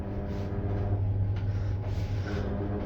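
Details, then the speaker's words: Ansa (Jansa) elevator, about 4 years old (installed 2021), Hicks building, riding between floors: steady low droning hum with faint rough flutter; vibration noise, possibly wind or motor, source unconfirmed. "Vibrations, but caused by what? I'm not too sure. Could be the wind, could be the motor."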